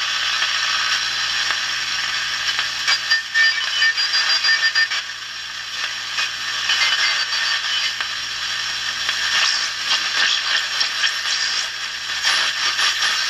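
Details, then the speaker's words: Hallicrafters 5R230 radio, supposedly 1953, on shortwave with only a finger as antenna: lively static with squeals and faint signals drifting as the dial moves, 40 meter ham band; strong, healthy reception. "i flipped it over to shortwave now the only thing i'm using for an antenna is my finger here"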